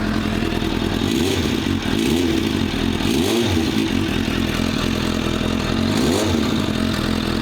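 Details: Hot idling engine. An uneven metallic clatter swells every few seconds over the engine beat. Owner suspects loose clutch plates; the exhaust was checked and is not loose. Source is being traced, possibly front or back.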